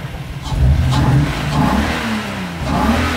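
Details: Toyota Supra with manual/turbo conversion, first start with no exhaust fitted: loud engine climbs cleanly through sharp revs and drops back smoothly, no misses or knocks; healthy running.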